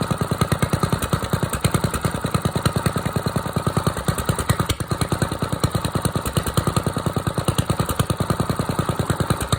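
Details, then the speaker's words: Engine after a choked cold start with a little throttle, having sat 2-3 hours in mild weather; a deep, steady thumping at about ten beats a second that stays even with no misses. This is a normal cold-start idle. "We're in pretty good shape, I guess. So yeah, it's running good, sounds good."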